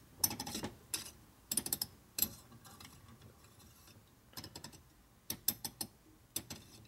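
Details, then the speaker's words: 1940-47 Linkert M35 #110 carburetor (Harley Knucklehead) during rebuild: reamer turned through the out-of-square throttle shaft bushings gives uneven bursts of sharp metallic clicks with quiet gaps, catching on a high spot. "the reamer tet's got in the throttle shaft bushings yeah you can hear the high spot in there but"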